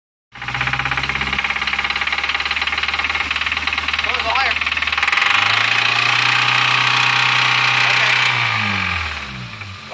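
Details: Car revving: sharp regular knocking about four times a second following the revs; rod knock from a worn rod bearing, engine described as blown up.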